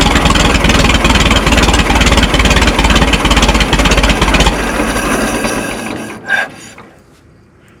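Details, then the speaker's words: Minneapolis Moline Z tractor after rewiring, choke pushed in: slow, heavy chuffing about two beats a second, laboring and fading toward stalling; slow idle, owner suspects carburetor low idle set screw. "It seems like it has a like a really slow idle."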